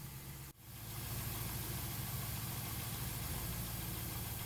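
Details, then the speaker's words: V8 Chevy Camaro/Firebird secondary air injection (P1415/P1416) diagnosis with a faulty check valve: after a brief dropout the engine settles into a steady, even idle. The air pump runs on cold start, then shuts off. "it'll activate on cold starts so if it's a cold start it should be on and when it shuts off it'll sound like this"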